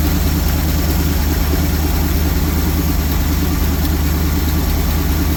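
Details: 1974 Lund Tempest II GT jet boat V8 with Fury heads, OMC exhaust manifolds and electric fuel pump, started after purchase: deep, even low rumble settling into steady idle, no misses or knocks; starting somewhat finicky.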